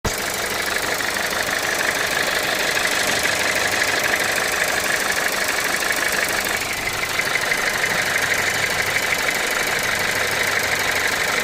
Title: weird ticking noise 2018 audi a3 1.5 tfsi